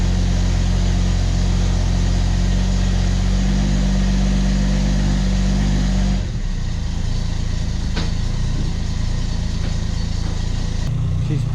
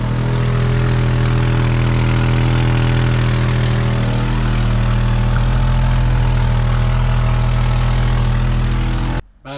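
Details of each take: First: 1991 Ford XF Falcon ute at idle after a new muffler: a low, even exhaust rumble with no rasp, blowing or rattle. The big catalytic converter is credited for the quietness, though the engine still stumbles slightly at idle. Normal idle. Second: Ford XF Falcon ute, abandoned in a farm paddock and revived, idling loud and deep with a raw, rapid puffing blat from a horrendous exhaust leak; what look like little holes in the exhaust are spot welds.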